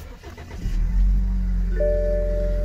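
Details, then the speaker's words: 2014 BMW X3 xDrive28i, 2-liter turbo four, one owner, regularly serviced: cold start, short crank, quick catch and rev flare, then steady smooth idle with no misses or knocks; healthy. "fire up you can see indeed this car is still cold it runs very smooth"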